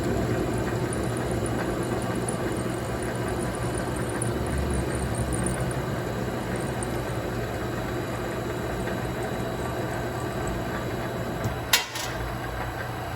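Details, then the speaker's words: Vevor MX 400 mini lathe parting off a rod with a freshly ground high-speed steel blade: steady motor hum with faint, uneven, high-pitched chatter, possibly caused by the thick blade (suspected). "Again, that could be the thick cutting blade that I have causing that chattering."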